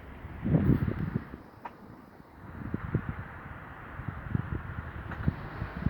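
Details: Kia Ceed petrol engine fully warm at 90 °C, idling low at about 600 rpm instead of 700–800, with the revs dropping and jumping: dull, uneven knocks through the deep rumble; cause of the knocking unknown.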